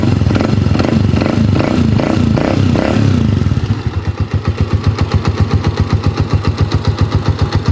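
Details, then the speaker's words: Honda TMX 125 (2016) tricycle after a DIY tune-up, valve clearance adjusted to 0.8: after a brief blip it settles into an even, steady single-cylinder idle; the earlier valve tick is gone; normal idle. "So kanina medyo may lagitik eh Inulit ko mga idol ayan wala"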